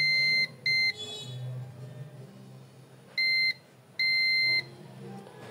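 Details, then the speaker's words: Digital multimeter on beep/diode range, red probe on mobile motherboard ground, probing both capacitor ends: sharp high-pitched beeps, two short then two longer, beeping at both ends means the motherboard is shorted; short circuit indicated by continuity beep. "মাদারবোর্ডটা হয়তো short রয়েছে, সে কারণে দুই প্রান্তেই beep দিতেছে। শুনতে পাচ্ছেন দুই প্রান্তেই beep দিতেছে, তার মানে এই মাদারবোর্ডটা শর্ট রয়েছে।"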